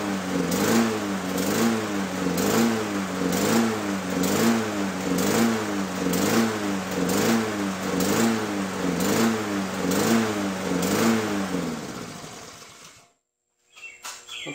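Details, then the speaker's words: Lawn-Boy mower that had been over-revving at startup: after the binding parts were freed and it was reassembled, it no longer over-revs but surges, its speed swelling and sagging about once a second. The owner suspects a dirty carburetor, not confirmed. "so it's no longer over-revving it is surging that's typically a problem with dirty carburetor"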